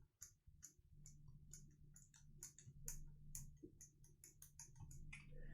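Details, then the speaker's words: Ticking heard when a lubed KNC Keys Tofu Linear (R2) all-nylon switch in a Freebird60 POM-plate board is bottomed out with pressure and the stem wobbled; quick light ticks, suspected like Boba housing tick from a bump in the bottom-housing stem hole. "I found that when I bought him out and like put a a decent amount of pressure on and move the keycap or the yes the keycap around or the stem and there's a slight ticking sound"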